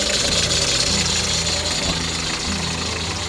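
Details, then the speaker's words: Hyundai HR truck idling: high, raspy chirping squeal over the engine hum from the power steering belt; rubbing candle wax on it is a short-term fix. "esse barulho é da correia tá da correia da do hidráulico da direção hidráulica e vou mostrar para vocês aqui uma solução Zinho é a curto prazo para você resolver problemas esse barulho barulho chato dessa Correia"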